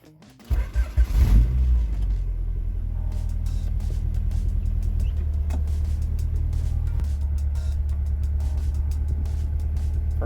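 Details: On a high-mileage H22 wagon with a misfire, just after a tune-up with a new distributor cap and rotor (old ones about six months old): it cranks, catches, briefly flares and settles into a steady low idle with no stumbling. It is a normal start-up.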